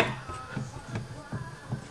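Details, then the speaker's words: TVR Griffith: dull metallic clunks, about two a second, as the rear differential is levered with a bar and shifts on a loose top rear mounting bolt; same clunk rattles through the car while driving, so a mounting problem, not internal diff failure. "is the exact same noise that I get as I'm driving along um it's right rattles right through the car so I'm pretty sure that I found the root of my problem uh is that it's not an internal problem with the diff at all it's a mounting problem"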